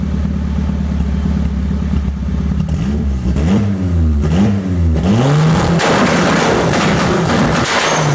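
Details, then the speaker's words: 1998 Toyota Paseo turbo build (Precision 5831e turbo, Haltech ECU), launch control demo: revs bouncing and popping against fixed rev ceiling in rapid bursts; launch control limiter working. "I could give you guys a little bit of preview of the launch control if you like."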